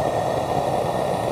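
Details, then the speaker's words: Coleman propane lantern turned up to high, burning with a steady, loud, even hiss like a tiny jet engine, with no sputter or pulsing; normal operation. "listen how loud it is it sounds like a tiny jet engine"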